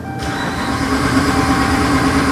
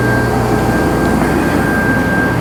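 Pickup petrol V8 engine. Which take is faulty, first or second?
first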